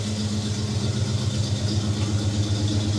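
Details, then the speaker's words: 1956 Chevy small-block V8, sat for years, with new HEI distributor, valves set and new PCV valve, in park: smooth, even low rumble, idling a little fast until brought down; otherwise running well. "idling a little fast there but hey we're good look at that everyone's happy with my finger bring her down just a little bit there we go"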